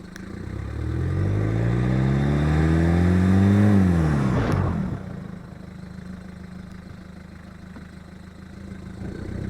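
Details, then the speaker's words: VW Golf Mk1 test drive after a brake service: caliper bracket cleaned, copper grease on the pad backs, slide pins greased. The engine pulls up through the revs, then the car rolls quietly with no brake squeal. An intermittent clunk returned a week later. "So the brake squeak is gone, but the clank came back after a week."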